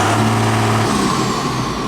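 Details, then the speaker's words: Diesel engine warming up with brand-new remanufactured turbocharger fitted, replacing one with almost 13,000 hours; thin high turbo whistle over drone, normal. "oh I can hear that turbo whistling oh yeah"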